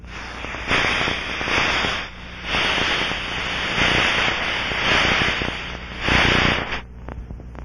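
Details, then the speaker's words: Aircraft leak inspection with ultrasound probe, sensitivity at maximum, fixed band mode: steady hissing rush swelling as probe passes the spot and fading away from it; pressurized gas leak. "scan the area following the characteristic rushing sound"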